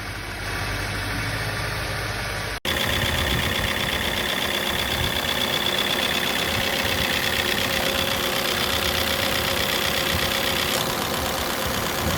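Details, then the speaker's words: Engine cam phaser (variable valve timing) fault: fast metallic rattle about four per second over the idle, only in the first seconds after start then stopping; phasers can be internally damaged, leaking oil or sticking with age. "Este ruido se presenta nada más en los primeros segundos de encendido y después se quita. Se puede escuchar algo así."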